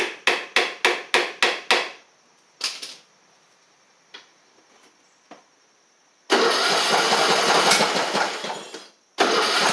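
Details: MTD Craftsman LT1500 riding mower after engine swap: about six quick even cranking pulses, a pause, then it catches and runs strong and steady; starts and runs normally after float possibly stuck earlier.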